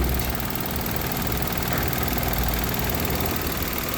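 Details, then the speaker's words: 2017–2018 Mitsubishi Mirage automatic, after clearing a check-engine lambda sensor circuit high code and cleaning: steady, even idle with a constant low rumble and no knocks or misses, air conditioning switched on; normal idle with good oxygen sensor reading. "yan. Ito. Yung iba tinatalian 'to tsaka yung andar ng makina mararamdaman mo. Sige buksan mo aircon. Yun. Okay yan."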